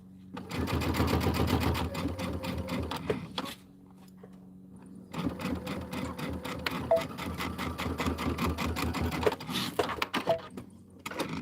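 Quick, even needle chatter in two runs of a few seconds each, smooth and steady: a sewing machine stitching normally.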